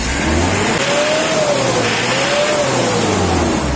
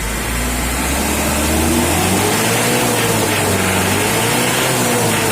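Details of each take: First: Mitsubishi L200 diesel before a Jet Speed tune-up, giving thick smoke: revved twice, pitch climbing and dropping, with a coarse, clattery edge throughout; running rough under revs, smoother after tuning. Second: Mitsubishi L200 diesel after a tune-up: the engine revs up and settles with an even, steady clatter and no misses or knocks; running smooth.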